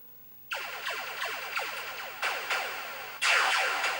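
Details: 1980 Stern Electronics Berzerk arcade game, VSU speech board: falling laser sweeps and blasts fire but no synthetic voice joins in.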